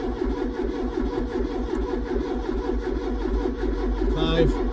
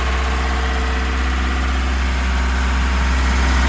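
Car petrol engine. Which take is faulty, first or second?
first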